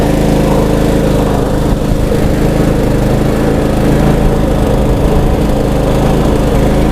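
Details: Troy Bilt Bronco riding mower after carburetor replacement and new battery, having sat with dried-up gas: steady, even engine note with a smooth low rumble, no misses or surging; running healthy.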